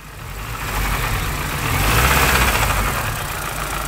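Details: Mini One R50 1.6 16v 90 hp: clattery metallic rattle rising with revs over engine roar, from the chain side; slack timing chain with worn hydraulic tensioner, no metal found in oil.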